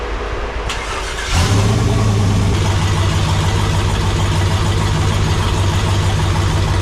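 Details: AWD turbo V8 race truck after new fuel injectors, warming up: engine catches and settles into a deep, steady rumble with even firing and no misses; running better than ever, nearly ready for tuner/dyno.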